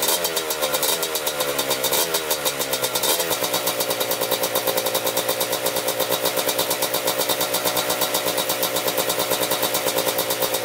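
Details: 1987 Kawasaki Tecate 4 250cc two-stroke quad, freshly rebuilt, first start: a few early blips, then a quick, even crackle settling into a clean, stable idle; normal idle.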